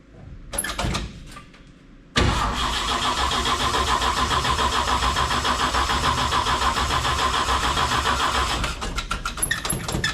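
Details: 1958 GMC pickup truck engine, parked for years, first start in the shop with a broken choke: cranks, catches quickly and settles into a steady, even idle with a regular beat, no knocks or misses; sounds healthy, normal idle.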